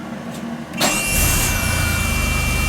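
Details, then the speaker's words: Replacement rebuilt starter (Eagle Premier unit) on a DeLorean DMC-12, replacing the original 40+ year old Paris-Rhone that intermittently freespun: brief whirring crank with a slightly higher-pitched starter whine, engine fires quickly and runs steadily; normal healthy cranking. "yeah it sounds good sounds really good"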